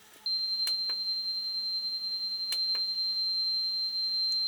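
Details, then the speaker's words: Yamaha KX 580 cassette deck before belt service, playing calibrated test tape: steady high tone with scattered sharp scratchy clicks, noisy left channel; cause unconfirmed. "A lot of very unpleasant scratching noises in the left-hand channel. That's very, very noisy indeed."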